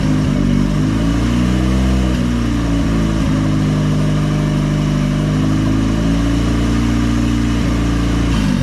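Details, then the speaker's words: Budget $200 Honda engine with big turbo kit, first start after owner's rebuild, no coolant yet: smooth, even engine note holding steady with gentle rises in revs, no misses or knocks; running cleanly. "oh my gosh you guys hear that oh my god as the best sound i've heard in a long time it feels like finally a good running motor put together by me"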